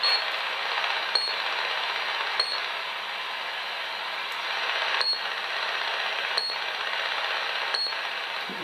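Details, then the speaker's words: Battery-operated wireless child's thermometer that sends out a signal, heard on a portable AM/medium-wave radio held nearby: steady hiss with sharp ticks about every 1.3 seconds; pulsed RF interference from its transmissions. "that sends out a signal battery operated so not all battery devices are very R quiet"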